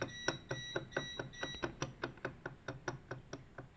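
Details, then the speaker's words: 1985 WSK 125 motorcycle engine at about 42,000 km, stood for two years, now opened up. Sharp dry clicks about twice a second as the connecting rod is rocked by hand. A loose big end; the crankshaft was the main culprit. "Jak to chodzi i stuka. Dobrze."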